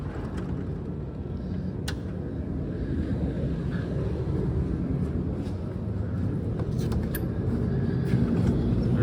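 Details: 45KVA Magnum/Generac generator with Marathon alternator and Isuzu diesel, after repair, set to 480/277 V before shutdown: steady, even diesel drone at constant speed with no knocks or hunting; runs smoothly and healthy.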